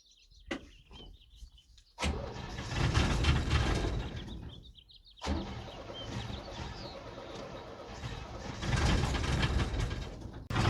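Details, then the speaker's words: 1978 International Scout II, Nissan SD33 diesel, cold start after glowing: it catches, runs unevenly with a miss and smoke, stalls, restarts and stalls again; good oil pressure. Owner suspects inoperable glow plugs and poorly spraying injector nozzles. "yeah when you first start up and it's cold it has a little bit of a miss and smoke some and then it clears up a good oil pressure yeah and then it'll stall out like that"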